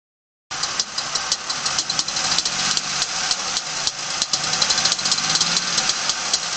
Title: Rod Knock From a Factory Remanufactured Engine